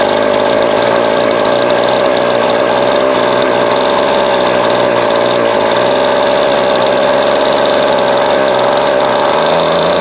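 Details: Vintage Craftsman 22.2cc 14-inch two-stroke string trimmer, estimated early-to-mid 1980s, original spark plug and fuel filter, fuel line replaced and carb cleaned; steady high buzzing note, no surging, missing or rattles; running properly.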